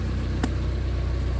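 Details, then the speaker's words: 1990 Honda Accord EX, customer reports idle surging up and down when warm, not yet duplicated: steady, even, smooth idle sitting slightly high, no hunting; check engine bulb found removed, codes not yet pulled. "can hear the idle is a little bit high idle."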